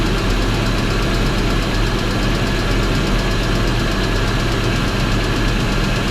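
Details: BMW X5 4.4i V8 running steadily with a faint rapid tapping over the low rumble; owner suspects a connecting rod bearing, knock cause unconfirmed.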